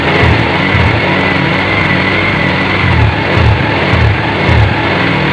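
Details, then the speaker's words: Honda Revo Absolute carburetor motorcycle: a small single idling unevenly with lumpy pulses that sag and falter when the turn signal or horn is pressed. Lights dim and it stalls, pointing to a faulty regulator rectifier. "motor ini keluhannya sering mati-mati padahal konektor di sini nyala kalau di engkol nyala biasa hidup digas-das juga hidup nyala tapi kalau kita pencet sein bunyinya jadi seperti"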